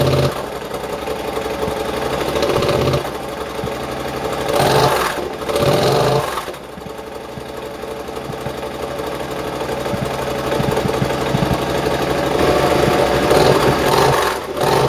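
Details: Triumph twin after exhaust rebuild, first test fire with freshly painted exhaust fitted; starts and settles into a steady, even idle, revs cleanly and drops back without stumbling; normal idle and revving.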